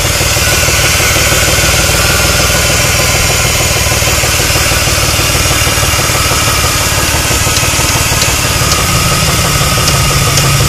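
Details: 2001 Chrysler 300M 3.5L at idle: loud, hard knocking of about three to four per second deep in the block. It is rod knock from a warped connecting rod and worn bearings, later fixed.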